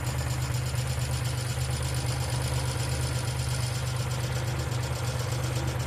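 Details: 1995 Geo Metro idling: a light, quick ticking rides steadily over an even idle hum, keeping pace with the engine, heard as hydraulic lifter tick; B-12 fuel injection cleaner added to the oil before an oil change.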